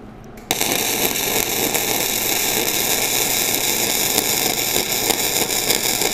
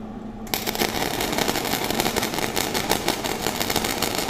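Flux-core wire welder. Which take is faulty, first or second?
second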